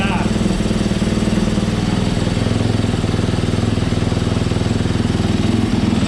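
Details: 2018 Yamaha YZ250FX, about 260 hours, that cranked but would not start; after fitting a new OEM fuel pump it fires with a crackle and settles into a steady, even idle with no stumbling. Normal running.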